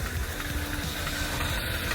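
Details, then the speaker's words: AW11 Toyota MR2 bought from original owner, jump-started after sitting: steady but uneven idle with a faint lumpy stumble under a constant hum; owner says it sounds like a misfire, cause unknown. "It turned on. Time to pump up these tires and make sure it can get home safely. I'm so excited. This car's gonna get so much love. Sounds like it's misfiring."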